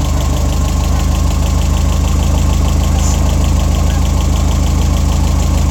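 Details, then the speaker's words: Engine restarted after refilling oil and coolant, steady even idle with light quick ticking riding on top; just loud injectors, engine healthy. "all right what those injectors are loud"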